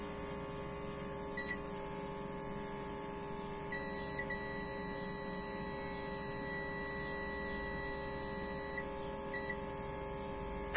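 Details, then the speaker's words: Car audio amplifier with a burnt resistor, second output MOSFET tested: a steady high multimeter continuity beep holds for several seconds, a dead short, so this MOSFET is faulty too; both MOSFETs and their 47-ohm gate resistors were replaced. "It seems this MOSFET is also faulty."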